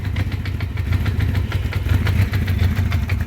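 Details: 1984 Honda CB700SC Nighthawk at one-third choke, carbs rebuilt elsewhere, won't rev up: lumpy, uneven idle with loping low thump and missing beats; only two cylinders firing, a clear misfire.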